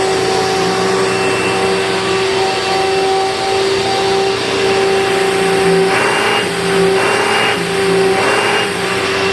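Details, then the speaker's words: 2000 Dirt Devil Featherlite upright vacuum after rebuilding four bearings (two brush roll, two motor), test run with bag fitted: loud, steady motor whine with even hum, no grinding or rattling; noisy but running normally, never meant to be quiet. "Well, it's certainly not perfect, but with 4 bearings rebuilt, 2 in the brush roll and 2 in the motor, I just bet it's going to sound a little bit better. But this thing was never meant to be quiet, to be sure."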